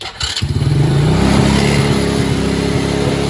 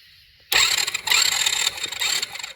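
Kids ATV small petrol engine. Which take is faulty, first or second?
first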